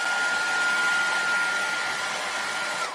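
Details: Maestro MR-212 1800 W hair dryer on highest power after reassembly, having cut out after a few minutes due to a burnt thermal switch contact that was cleaned: steady rushing airflow, constant mid-pitched motor whine, no cut-outs; normal running.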